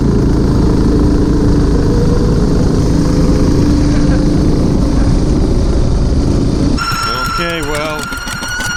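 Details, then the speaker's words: Homemade 420cc off-road go-kart engine, revived after water damage: runs steadily, then a sharp wavering high squeal cuts in from the drive belt because the pulleys are not parallel. Belt squeal from misaligned pulleys. "the only the problem the squeaking is from the belt the like see how this isn't parallel to this yeah so it's just the both scream you know"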